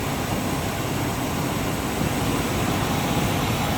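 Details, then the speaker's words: 1983 Buick Riviera convertible, original unrestored 307 V8, 55,000 miles, hood open at the engine bay: soft even hum with a steady low rumble, no ticks, knocks or stumbles; smooth healthy idle. "There you can see the engine bay. Hear how smooth that 307"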